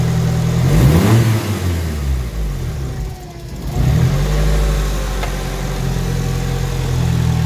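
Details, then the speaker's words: Ford Escort with SR20DET: revs past 3,000 rpm then sag hard, nearly stalling before a rough idle; caused by too little distance between MAF sensor and turbo creating turbulence, not sensors or IACV. "I always work on the escort again having some idling issues rev it up over three grand and then it stalls"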